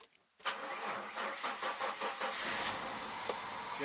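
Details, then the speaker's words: 1996 Ford Mustang's first start after winter storage, on fresh oil; antifreeze had been found in the old oil. Even cranking at about five turns a second for two seconds to build oil pressure, then it begins to catch. Normal cranking. "see both pressure goes right up that means they got all got oil pressure in the pump"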